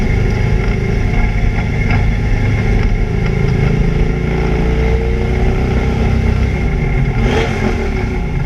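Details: ABR Camaro on misfire laps: loud engine pulling hard at steady speed, note uneven and stumbling rather than crisp, an engine misfire under load.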